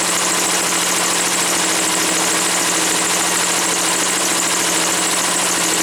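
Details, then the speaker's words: Woods 6180 zero-turn mower, 18 hp Briggs & Stratton Vanguard V-twin, after carb cleaning: steady, even idle with no stumbling, surging or hunting once the air filter top was removed; owner suspects a plugged, oil-saturated filter. "this air filter must be plugged up. As soon as I took the top off, it started running smooth."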